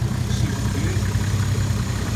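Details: Toyota JZX110 stock 1JZ turbo petrol with HY35 Holset top-mount turbo, j-pipe delete, just started after the build, coolant not yet bled: even, steady low rumble, no knocks, ticks or misses; idling smoothly.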